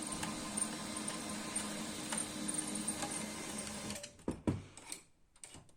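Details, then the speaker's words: Canon i-SENSYS MF4410 printer after replacing failed DC 24V main motor RM1-7624 that would not start: steady even whirr with light paper-drive ticking for about four seconds, then stops; printer works normally. "Այժմ միացնենք նոր շարժիչը և տեսնենք այն պտտվում է թե ոչ, որից հետո կտեղադրենք արդեն իր տեղը։"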